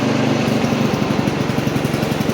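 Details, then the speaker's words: Old Montgomery Ward Power Kraft tractor driving in first gear with choke up: single-cylinder engine pulls with an uneven pulsing beat and brief stumbles under load; stutter, cause unclear. "Alright. Little stutter in the engine there."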